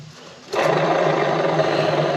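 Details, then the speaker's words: Scag Wildcat mower with PTO not engaging when hot: idler pulley spun by hand with the belt removed gives a steady rough rushing drone with a faint hum; idler bearing worn and noisy, new idlers and belt planned. "I don't know if you can hear that but that's I'm spending this idler and that idler is noisy too so yeah I think we ought to see about getting a couple idlers and maybe while we're added a new belt"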